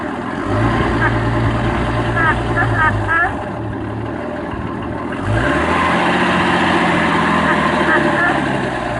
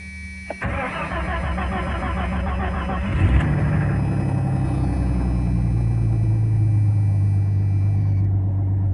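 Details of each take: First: 1989 Jeep Cherokee Pioneer 4.0L I6, AW4, idle after cleaning gunk from the idle air control valve, which has occasional idle RPM drops: steady idle with intermittent nasal quacking chirp, then idle steps up; quack source unclear, owner points low. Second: 1989 Jeep Cherokee Pioneer 4.0L I6, AW4, after idle air control valve replacement: brief crank, catches with a rev, then steady low idle without obvious stumbling; normal idle, main problem occurs while driving.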